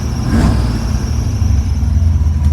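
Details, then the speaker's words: 1973 Chevrolet Camaro V8, 4-speed manual, headers and Flowmasters, idling with a deep steady rumble while a thin high squeak rides faintly over it from the squeaking power steering belt. "can hear that squeaky belt I was talking about. It's the power steering belt that's squeaking like that."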